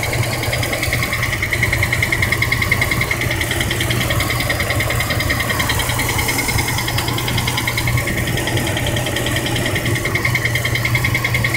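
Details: 2003 Dodge Durango with a used replacement engine: steady light ticking about two to three per second over an even idle, caused by low transmission fluid; it went away once the fluid was topped up.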